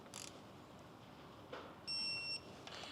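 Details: Subaru EJ257 STI engine rebuild, electronic torque wrench set to 15 ft-lb on midsection fasteners: quiet shop, then one steady high tone of about half a second signalling set torque reached.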